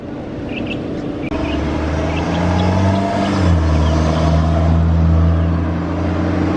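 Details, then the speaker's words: Jetta engine revving: tone pulls up, then sags and stumbles briefly midway before recovering; a small hesitation, possibly a misfire, with an oil change and spark plugs suggested. "Yeah, it sounds like you had a little small hesitation. My shit ain't never sound like that."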